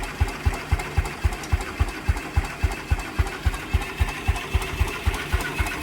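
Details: 1949 Ransomes MG5 crawler tractor, first start after correcting rebuilt magneto fitted about 180 degrees out of phase and adding new fuel; deep, even thump about three to four times a second, no misses or knocks, idling cleanly.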